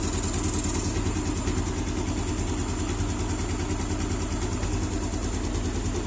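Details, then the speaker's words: Yamaha Aerox after camshaft replacement (missing cam gear pins) and valve adjustment, engine reassembled: even, steady idle, about two soft pulses per second, no ticking or rattle; sounds smooth again, though a hiss later traced to a missing tensioner cap. "Kita langsung nyalain mesinnya. Nah, suaranya udah halus lagi."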